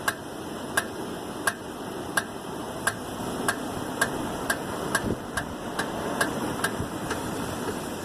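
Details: 1999 Toyota Avalon, rear driver's side wheel after mounting two new rear tires: a sharp, regular ticking that quickens with speed; suspected brake noise, not confirmed.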